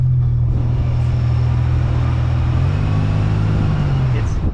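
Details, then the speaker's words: Supercharged Pontiac Bonneville SSEi under acceleration: steady low whirr under engine drone shifting with road speed from passenger side; suspected supercharger pulley, rebuilt transmission, differential or wheel hub, unconfirmed. "it sounds like a whirring it's just like something rotational so we're suspecting either the supercharger pulley or it could be some with the transmission because you know we rebuilt it so who knows"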